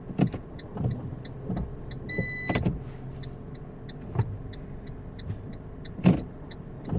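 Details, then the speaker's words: 2008 Fiat 500 with Dualogic semi-automatic gearbox, jumping out of gear into neutral at stops after a clutch replacement: repeated dull clicks and whirs with heavier clunks over quiet idle as actuator keeps retrying first gear; incorrect clutch adjustment. "yeah I can feel the gearbox trying hold on it's first gear again let's go because I'm here right after the intersection let me move home okay oh okay so I could definitely fill the gearbox I can feel I can hear the the motors it looks like well I can hear some gears try to engage so the box is definitely trying so okay"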